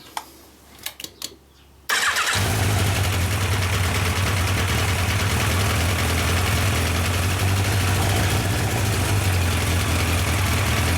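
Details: Yamaha 1200 FJ café racer, final start-up after filling with oil. Earlier it would not hold idle until the fuel pump ran. A few cranking bursts, then it catches and settles into a steady, even idle with no misses.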